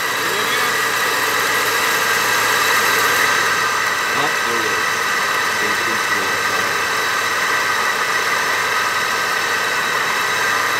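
Steady idle with an even tick and a light hiss on top, no knocking or grinding; the engine sounds healthy.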